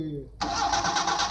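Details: Training engine: starter spins the engine at an even churning beat but it never fires; crank no start from no fuel pressure, fuel pump connector unplugged.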